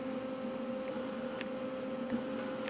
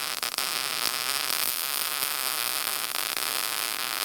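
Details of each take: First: Lincoln SP135 Plus MIG welder with 75% argon / 25% CO2 mix, mic placed next to the machine: steady electrical hum with the trigger held but no gas hiss at all; the gas valve intermittently fails to open. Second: Lincoln SP135 Plus MIG welder after repair of an intermittently failing gas valve: a steady, even hiss of shielding gas through the gun with a faint hum, showing the valve now opens properly.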